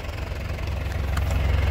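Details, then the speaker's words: 2005 Isuzu Panther Grand Touring turbo diesel, manual, idling; steady low diesel chug with even beat, no knocks or misses, exhaust smoke barely visible and not stinging the eyes, combustion judged complete; normal healthy idle. "Ini saya cium bau juga segar dan tidak pedih di mata. Artinya mesinnya sehat, pembakarannya sempurna."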